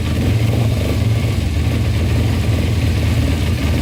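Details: 2000 Kawasaki Ninja 250 with Yoshimura pipes, non-runner restarted on choke after oil checked full: deep lumpy grumble with no distinct knock, earlier knock thought to be the pipes; normal running on choke.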